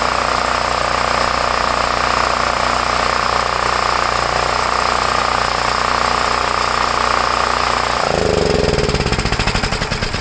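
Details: Homelite 5,000 W generator, 389cc 13 hp engine (owner thinks Tecumseh), owned about 8 years, started with choke after carburetor leak fix for hard starting; steady even beat with constant tone for about eight seconds, then winds down; running smoothly, normal idle.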